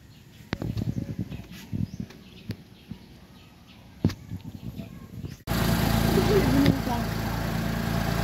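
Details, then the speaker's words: Suzuki Alto with a crank-no-start fault, after fuel injector cleaning, fuel pressure checks and a new spark plug: quiet handling clicks, then the engine catches and settles into a steady, even run with no misfire or knock; fixed. "okay na pwede n gamitin yung unit pero umaandar na po"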